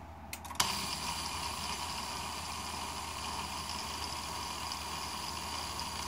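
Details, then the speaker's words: 1995 Mercedes S320 non-ASR throttle body, part 0001415725, bench test before repair: a click, then a steady thin whirring screech when energized as the motor turns the plate; internal clutch coil failure plus deteriorating wiring. "so this is what's happening this is basically why you had that screeching noise mode is turning it tries to activate the plate to go to certain angle"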